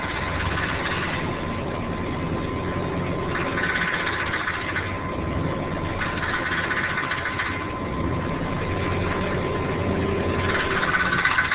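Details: Vehicle with 4L80E transmission and possible torque converter issues: engine running with uneven knocking clatter about four per second over a thin tone, traced to a cracked flexplate.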